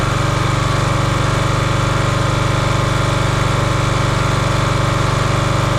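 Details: Champion 27-ton log splitter, 224cc engine, stored outside probably over a year, after a hydraulic fluid leak was fixed by tightening a fitting: steady even single-cylinder thump at constant speed, no misses or knocks; running smoothly, healthy.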